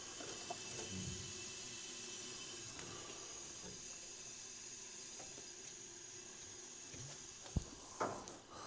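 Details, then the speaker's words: Ford Sierra engine during leakdown test: steady airy hiss from the tailpipe under test pressure, worst cylinder so far at a reading of about 70, likely past an exhaust valve; recently had valve work, valves may still seat in. "Puhaltaako pakari vähän kuulet. Ui se söpö tuhina kuuluu pakoputkesta."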